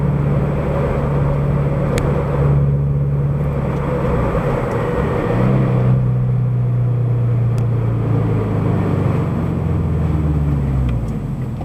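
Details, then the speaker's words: Subaru BRZ/FT-86 with SpeedFactory header and exhaust, in-cabin at highway cruise in sixth gear after fixing header rubbing on debris shield: low, even exhaust drone rising slightly with throttle, noticeable but not harsh; no rattle, buzz or vibration. "rpms then as soon as I drop it into sixth and I'm just cruising on the highway that really need Rome it's noticeable but it doesn't bother your ears"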